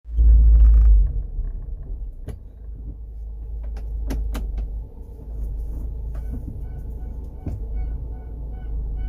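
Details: First-generation Honda CR-V engine running: deep steady humming drone and whine heard in the engine bay and cabin, suspected from incorrect distributor ignition timing.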